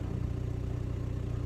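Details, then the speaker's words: Mk5 VW Golf 1.9 TDI, gearbox oil level checked OK 5000 miles after oil change: steady low rumble at idle from the transmission area, changing tone with the clutch pedal; cause unknown, garage advised it is not the clutch thrust bearing. "so the rumbling sound that seems to be coming from the transmission somewhere down that area is a bit of a mystery"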